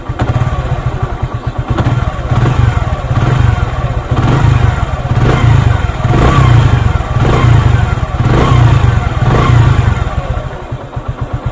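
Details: Single-cylinder motorcycle after an adjustment for rattle on acceleration: revs rise and fall in steady swells, chain area quiet with no loose rattle over the exhaust beat; normal timing chain.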